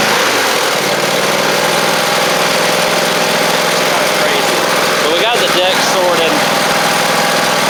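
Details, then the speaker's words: Cub Cadet Ultima ZT1 zero-turn mower engine running smooth at constant speed, no knocks or misses; runs fine, not using oil or smoking, belts fine, possibly original battery still holding charge; mower rusty and likely stored outside, bent deck. "And it runs fine. It's not using oil. It's not smoking."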